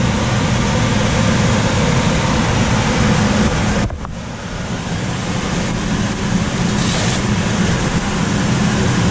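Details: Coleman DGAX056BDTA manufactured-home furnace with constant-torque ECM blower motor: loud steady rushing air with low hum, no knocking or scraping; blower tap set on high, fix is lowering blower speed setting.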